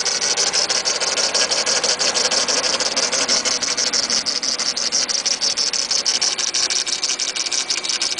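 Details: DSM Eclipse GS with 420A engine at idle: a thin, hissy rattle pulsing about twice a second at the front of the engine, which the owner first thought was the timing belt. Confirmed as the failing AC compressor.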